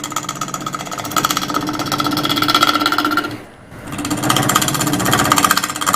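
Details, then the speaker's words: Wood lathe turning an experimental two-layer resin casting (around 1000 rpm mentioned): rapid rhythmic thumps, about four per second, break up the cutting noise. The out-of-round workpiece is unbalanced and shakes the lathe each turn, so it is being trued round. "ar out around our upper pieces which makes for just more vibrations that we don't need so let's fix that first"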